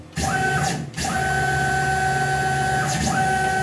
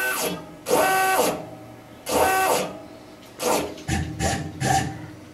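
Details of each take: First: Tormach PCNC 1100 Series 2 mill after replacing the failed stepper motor driver: X-axis jog gives a clean steady whine with smooth start and stop ramps, no stutter or grinding; stepper axis running normally. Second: Tormach PCNC 1100 Series 2 mill, X-axis stepper powered with its coupler disconnected, jogging Y then X: short buzzy, gritty, uneven stepping bursts instead of smooth whir; failing stepper motor driver.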